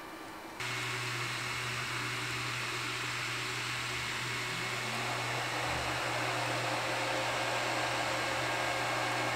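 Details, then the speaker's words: Stock Ender 3 V2 3D printer while printing, with the power-supply fan cutting in and the level rising to about 59 dB; steady airy rush with a louder whoosh and low hum; loud cooling fans. "all right so that was the power supply fan turning on so we're running 59 decibels now"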